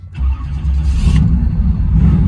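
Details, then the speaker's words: Original 305 TPI V8 injectors sat five years with old ethanol fuel, mostly idling; revved up it runs better but the exhaust beat stays ragged, misfiring as if loaded with fuel; owner suspects a leaking injector, injectors to be replaced. "rev it up some get it up in the tent and it'll run a little better but you can hear it misfiring a little bit like it's been loaded up with fuel like one of these injectors might be leaking or something"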